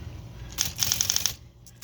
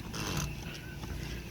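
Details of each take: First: Smith Corona Electra 220 electric typewriter after repair: crisp, even typebar strikes in quick bursts over a faint low motor hum; the motor rattle, caused by a paper clip, is gone. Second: Smith Corona Electra 220 electric typewriter: low motor hum with a light buzzy, intermittent rattle from a loose paper clip vibrating against the motor.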